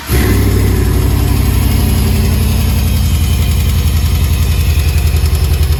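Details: GMC Sierra engine: starts, then lumpy low idle with an uneven tapping rhythm; knock at idle from inside the engine, cause suspected, not confirmed.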